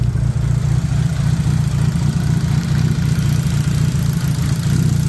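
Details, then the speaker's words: Daily-driven drag Neon engine (mid-9-second car) after bearing was sanded and polished following a knock at the track; heard in the engine bay: deep even rumble, loud injector ticking, no knock underneath; bottom end sounds healthy. "Damn, those injectors are loud, but let's hear it. No knocking out here either."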